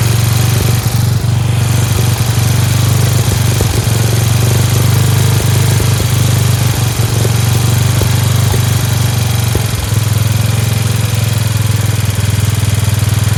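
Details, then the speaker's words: Free Dayton lawn tractor with 11 hp Briggs single-cylinder engine, first run on its own after choking: steady, even low thump with no misses or knocks, idling a bit fast; a spring is disconnected; engine runs fine, "like a hot rod." "It does sound like it's a little fast. There's a spring over there that's not connected. Thing's great. Sounds like a hot rod."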